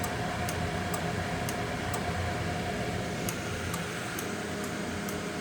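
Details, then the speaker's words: Ademco 685 digital alarm receiver taking a fire panic signal from a DMP XR150 panel: crisp relay clicks about twice a second over a steady electrical hum, normal operation. "And let's do a fire panic. You can hear the relays now clicking."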